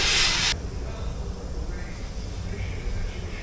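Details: 24-volt Caterpillar wheel loader diesel, first start after installing a new starter; brief hiss, then steady, even low rumble with no knocks or misses; healthy idle.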